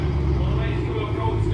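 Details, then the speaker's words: Audi RS6 after a crash-damage rebuild: a loud, deep, steady rumble at raised cold idle with no ticks or knocks, quieting once it comes off cold start. The engine is healthy. "Oh, that's better. Oh, that's better. It's come off cold start. That was well loud on cold start."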